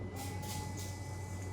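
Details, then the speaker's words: 2021 Alfa Romeo, windshield washer relay activated via bidirectional test on ThinkScan 689BT scanner: faint, steady electric hum with thin high whine as the washer pump runs and sprays water normally. "Wow. Okay, so I definitely heard the windshield washer activating, and there's definitely water coming out here."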